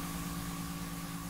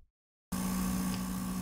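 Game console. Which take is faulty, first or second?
second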